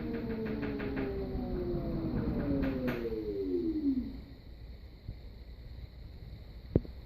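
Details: Brand-new LG 3250 washer, first use: motor tone winds down with quick run of light tapping/clicking early on, then near quiet.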